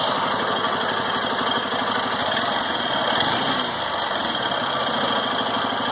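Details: 2018 Honda Titan with only 1560 km, engine hot after long use: small single idles steadily with fast light ticking chatter over exhaust; strange noise only when hot, cause unclear.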